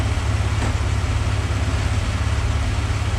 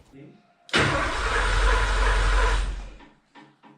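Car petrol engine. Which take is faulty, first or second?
second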